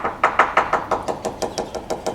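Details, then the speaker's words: Leopard 45 catamaran hull near anchor area, hammer tap test below tape: quick taps about six a second, some dull and hollow with a faint secondary buzz of fibreglass against gel coat; completely delaminated patch. "can hear here the fiberglass reverberating against the Jael coat layer inside it's like a secondary reverberation and it gets worse down to here back up normal tone completely completely delaminated"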